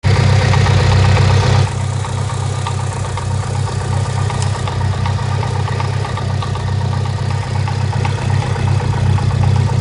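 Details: Mitsubishi Evo IX petrol with an HKS exhaust camshaft: lumpy, uneven idle with a loping pulse about four times a second; the cam caused the rough idle and kept throwing the CEL, later turned off in the ECU.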